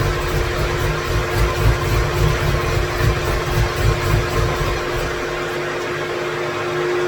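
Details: 2017 Corvette Z06 with Texas Speed 416ci stroker V8 and Holley port injection, first crank without a tune loaded and without coolant, wheels up on a rack: loping, uneven, stumbling pulses; rough running from the missing tune.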